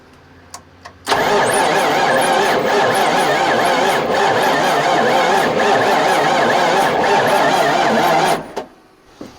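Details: 1994 Freightliner Classic with an old Caterpillar diesel (3406B) that sat for years: about seven seconds of labored, dragging, too-slow cranking after jumper-cable grounds were added to the starter and body, no catch or firing, no start. Cause suspected, not confirmed.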